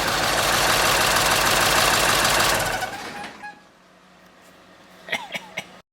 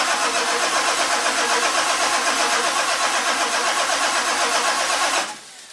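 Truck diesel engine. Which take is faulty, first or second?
second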